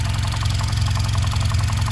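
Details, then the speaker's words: 2013 Cadillac ATS4 2.0L turbo, hard to start, rough running and misfiring, warm idle with sharp regular knock about six per second over deep rumble; knock fades when cylinder four is disabled; ECU knock TSB update already applied; engine knock at idle. "so we got the calibration for this and i noticed that it's knocking you hear the knocking so let's see if we can deactivate the cylinders or something in here"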